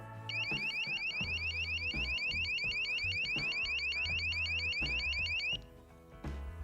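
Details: Cheap battery-powered AliExpress motion-sensor alarm siren with key-fob remote for a country house, triggered by a hand wave: loud, piercing warbling siren with several fast sweeps a second until cut off by remote; measured around 90 dB, working properly.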